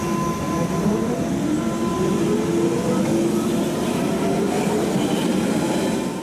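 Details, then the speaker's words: 1992 stock train pulling away on chopped DC during initial acceleration, before the motor is fed directly: rising electronic tones over rail rumble; normal chopper traction sound. "so we've got chopped DC which actually is the first sound you hear in the 1992 stock and after the initial acceleration we can just feed the motor directly without chopping"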